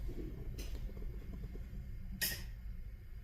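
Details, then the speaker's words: 1992 Chevrolet Caprice station wagon, 6.0 LS, nitrous system armed, engine off in garage: sharp separate clicks as nitrous relay switches on and off with throttle position, clicking when releasing past 65%; not activating above ~64%, cause unknown. "here, clicks on, clicks off. Right now, watch when I go to um 65%. All right, 65%. Now, watch my throttle. No clicking all the way up to 100%. But when I release the throttle pedal, it clicks when it goes past 65% on the way back down."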